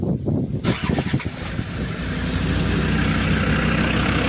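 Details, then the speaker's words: Abandoned Land Rover Discovery 2 TD5 diesel after belt refit, fuel pump heard running: brief cranking chuffs, then catches first pop and settles into a steady even idle; clean healthy start. "This is how easy this TD5 starts up, which is, never had that on a Land Rover. It just starts first pop."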